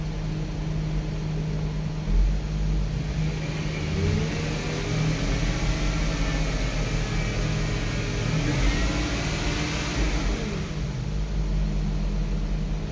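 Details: 2009 Porsche Cayenne S after new coil packs and spark plugs and intake snorkel refit: idles evenly, rises smoothly through a rev and settles back without misfire or stumble; sounds healthy.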